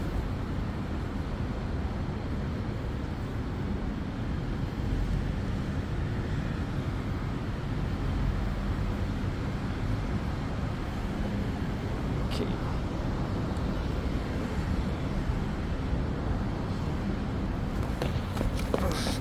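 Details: New Extreme Bull (Begode) Rocket electric unicycle, 13.5 km ridden, at 25 km/h and above after firmware update to Rocket_JN1525001: steady wind and road rumble with no grinding from the hub motor, which ground before the update.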